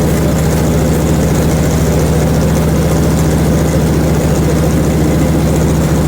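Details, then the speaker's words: Hud-son HFE30 sawmill running after adjusting the guide shoes and cleaning pitch off the blade, with coolant run heavy; previous ching-ching noise gone, steady even low hum, no ringing or chatter; normal running. "all right I'm ready to cool and heavy you're out quieted right now not making any noise at all shoes being out of adjustment blade having pitch on it what was making all that ret that sounds 100% better"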